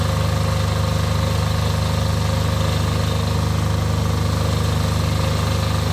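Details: Off-grid diesel generator after a service for fuel problems that made it cut out, test-run briefly before load testing: even, steady beat about two firing pulses a second, no stumbles or lumpiness; normal idle.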